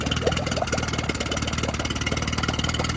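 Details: Yamaha 9.9 HP four-stroke outboard in a water tank, just started on choke: fast uneven putter with stumbling beats; impeller/water pump confirmed working, but engine only runs on choke, fuel starvation suspected, primer bulb won't decompress.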